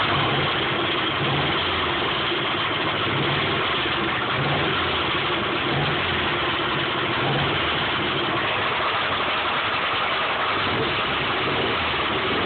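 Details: 1995 Subaru Impreza flat-four at idle: faint, regular tapping over the engine note, steady at idle speed; rod knock persisting after an oil change and additives.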